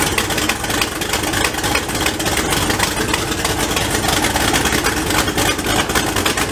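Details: Turbo LS engine first start with many new welds, downpipe off, one manifold side double-gasketed: loud, raspy idle with a sharp fast ticking chuff; exhaust still leaking at the other manifold flange, which will also need a double gasket.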